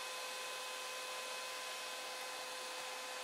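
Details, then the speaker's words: 3D printer (RAMPS 1.4, Marlin): a large CPU fan on a big AMD heatsink cools the hot 24 V-to-12 V step-down converter. At switch-on it makes a loud constant rushing hiss with a steady high whine, a hell of a racket. "I fitted that, but it makes a hell of a racket when I turn it on."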